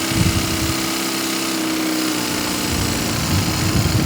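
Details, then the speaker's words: Used BMW with about 100,000 miles, idling: smooth, quiet, even hum with no knocks or misses, and the engine is stable and not shaking; normal idle. "The engine is purring real nice and quiet. You see the actual motor itself, it's not shaking or wobbling, it's nice and stable."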